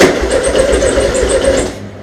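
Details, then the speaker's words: VW Beetle, first start after installing dual carburetors with the exhaust ports not yet plugged: the engine runs with a harsh, raspy, very loud popping bark like open pipes, Harley-like, filling the shop with smoke, then cuts off. "oh my god dude that is so [ __ ] loud sounds like a Harley all right I got to plug those ports that's too funny this place just got full of smoke that was awesome"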